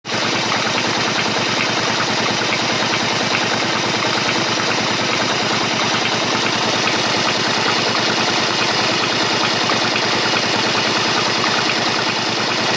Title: bruit moteur Honda shadow 125